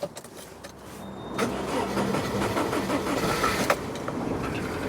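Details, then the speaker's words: Rover 25 with K-series engine: quiet whirr then laboured, sluggish cranking, catching after a few seconds; slow cranking. Battery only 44%; battery and earth issues to be investigated, cause unconfirmed. "it's on but not quite as easily you could probably hear there that it didn't spin over anywhere near as quickly and that could be partly down to the problem couldn't it"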